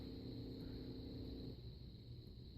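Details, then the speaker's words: Turbo Honda boost control solenoid tested via Hondata laptop output: soft steady low hum that drops out midway as the solenoid switches on and off, louder with higher duty cycle; working normally. "it definitely did turn on and it is humming like crazy so we can change the duty on it and make the noise get louder"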